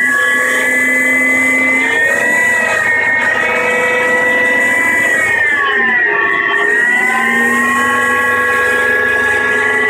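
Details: Mercedes W211 engine, owner suspects oil pump: steady whirring, ratchety mechanical tone that dips and recovers with engine speed; engine whirring noise, source unconfirmed.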